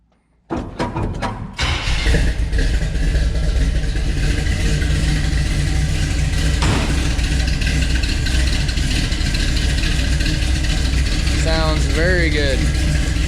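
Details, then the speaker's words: Engine, first start since intake resealed, with exhaust and mufflers refitted: cranks, catches quickly and settles into a steady, deep, even idle with no misses or ticking; sounds proper and healthy, valve cover still to be resealed. "definitely sounds proper now sounds like it looks now so super happy with that"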